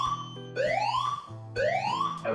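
Repeating upward-sweeping whoop, each sweep about a second long, loud and clean over a low hum; the evacuation tone sounds correctly.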